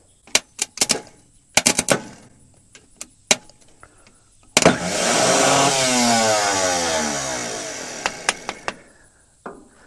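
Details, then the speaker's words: Scrap diesel forklift, new solenoid, starter jumped with screwdriver and hit with hammer: clicks and taps then high electric whir winding up and fading, no cranking; starter spins but drive shaft doesn't extend to engage, starter possibly bad. "tệ thật, nó chắc chắn chỉ đang quay nên có vẻ như trục không thoát ra và không ăn khớp"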